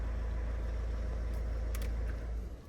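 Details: Non-running, unrecorded auction car after the engine management light was cleared: low, steady diesel clatter holding an even beat with no misses or hunting. Normal idle.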